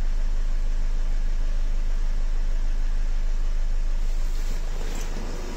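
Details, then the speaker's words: Nissan X-Trail 2.0 dCi diesel with an intermittent piston-like knock complaint, restarted after ignition reset: a steady, even diesel idle with a regular beat and no sharp knock; normal idle at this moment. "Заводим. Заводится все хорошо. Автомобиль работает."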